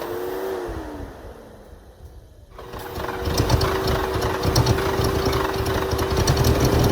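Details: 1980 Mercedes 450SL, first start after a new fuel pump and a long time sitting, no leaks: it stumbles and sags, dies briefly, then catches and settles into a slightly unsettled idle; rough start and uneven idle.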